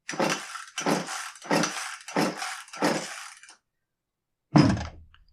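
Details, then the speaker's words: Echo CS271T top-handle chainsaw that won't start: five rasping starter-cord pulls, about 0.7 s apart, with not a single pop; the fuel tank seems full of bar oil while the bar oil tank is empty, so bar oil in the fuel is suspected. "well it definitely doesn't start now if he just dumped Bar Oil in the fuel tank I mean it would still pop or start or something right"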